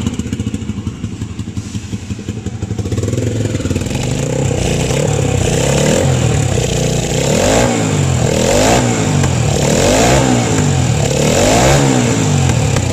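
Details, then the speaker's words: Honda CB 300 single-cylinder with turbo and priority valve added, otherwise stock engine, revved in repeated blips: rough uneven note swelling and dropping; turbo works but fuel mixture is not yet tuned. "Porque ela não tá legal vai ter que fazer o acerto ainda mas pelo menos a gente já vai mostrar o turbo funcionando"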